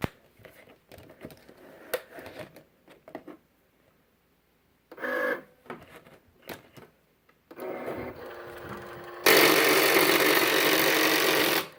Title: Cricut Explore Air 2 grinding/clicking noise